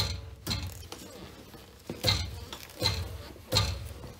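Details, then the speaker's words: 2009 Ford F250 Super Duty with a rebuilt engine, exhaust pipe struck by hand: sharp metallic clanks about every second with a tinny rattle, which stops when the bracket is held; loose exhaust bracket rattle, to be tightened or removed. "okay so i'm hitting the exhaust and there's actually a little bracket right here that's loose when i put my fingers on it it stops rattling"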